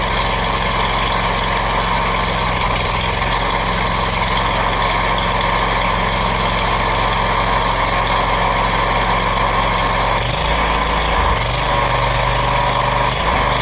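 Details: Brand-new Briggs & Stratton engine freshly installed on a Scag mower, first start after oil fill: small engine holding a steady, even putter with a slight settle near the end; clean normal idle.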